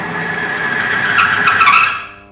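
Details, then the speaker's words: Engine-oil friction test rig with brand A oil: steel wheel pressed against bearing under rising load around 20 pound, harsh scraping screech and shrill squeal climbing then dying away, high metal-to-metal friction; oil holds roughly 40–50 pound. "Dengar tak bunyi geseran tu kuat? Maksudnya tahap geseran tu tinggi."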